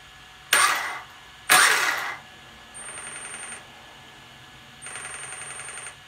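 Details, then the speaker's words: MGM 400A ESC in a 1/5 FG Sportsline 4WD 12S brushless RC car, P83 minimal starting power set very low: at light throttle the motor gives short stuttering bursts with a thin high whine instead of spinning up smoothly; startup cogging. "see so that's a very low starting power [Applause] that right there is cogging"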